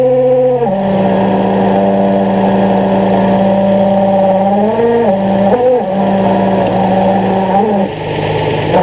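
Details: 2003 Nissan 350Z, engine running: steady high whirring squeal when clutch pedal pushed down, shifting with pedal movement and stopping when released, louder pulling away until pedal fully out, gears engage fine; owner suspects throwout bearing.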